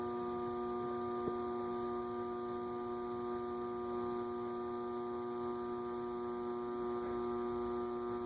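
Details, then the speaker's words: Leading Edge A-60 60-inch cast-iron industrial ceiling fan, reportedly 1985, at low speed: steady hum with fixed tones and no rotation sound while stalled; noisiest where it stalls, cause unexplained. "again interesting that it's noisiest at the spot where it's stalled I'm sure one of our motor gurus can explain why that is"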